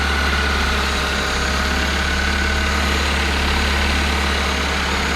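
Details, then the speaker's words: Toyota Celica, first start after an engine rebuild, clutch not yet bled, fuel pressure about 83-85. The engine holds a fast, steady idle at about 2,000 rpm with no hunting: idle far too high, cause unknown. "It started >> sitting at really leaning at 2,000 RPMs."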